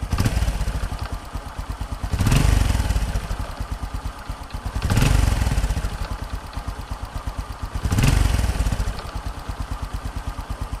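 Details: Fu Neo after repair, clutch reassembled: steady, even idle with three short throttle blips that rise and settle cleanly; no knocks or rattles, engine healthy.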